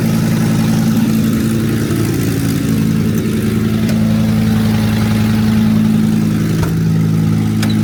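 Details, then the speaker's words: Ford work truck with Fisher plow, 73,000 miles, cold: loud idle with rapid ticking puff riding on the engine note, quieter once warm; exhaust leak likely both sides, needs exhaust manifold bolts and gaskets. "it definitely needs exhaust manifold bolts and gaskets done to it but as it sits here it runs and drives and it'll push snow"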